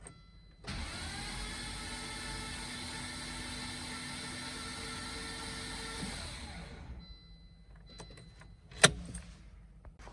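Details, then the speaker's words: 1996 Volvo 850R, 90k, stored 16 years, cold outside, new battery, plug lead and injectors disconnected: steady starter whine for about six seconds, engine spins evenly but never fires; cranking with fuel and ignition disabled. "Here you can just see the lead is out, and then the injector is also disconnected. Let's crank it a few times."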